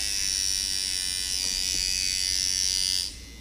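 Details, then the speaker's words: Sidewinder V3 tattoo machine: high, buzzy hum with unsteady, wavering pitch; choppy running when backed out to a long stroke, needing the impact screw adjusted. "now if you back the machine out and it gets really choppy like"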